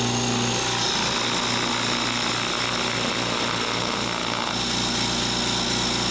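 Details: Harbor Freight 2-gallon air compressor on a table, phone decibel meter between compressors (background about 36–37 dB): loud, even, hissy motor-pump chatter at about three strokes a second, no knocks or squeals; normal healthy running.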